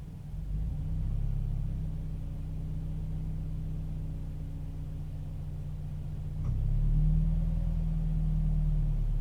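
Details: Toyota 86 at idle: a low, uneven rumble that wavers throughout, with a shift in tone near the end. The idle is rough; cause unknown.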